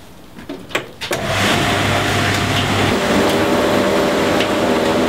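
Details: Beko tumble dryer test after replacing the broken drive belt that stopped the drum rotating: handling clatter, then steady even hum with light rhythmic tumble, no slipping or squeal; runs normally.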